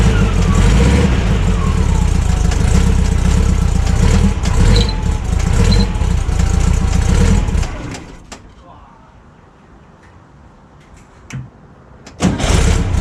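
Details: VW Kombi after fitting a rebuilt replacement carburettor, first start before tuning: lumpy, uneven idle that hunts and stumbles before switch-off; runs rough as the carburettor doesn't suit the engine.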